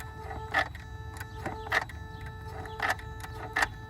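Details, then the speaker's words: Mercedes S320, ignition on, engine off: short, sharp whirring clicks about every second as the electronic throttle actuator cycles normally; ASR triggers because the pedal microswitch isn't pressed. "but again if we're going to put ignition on we can hear the throttle"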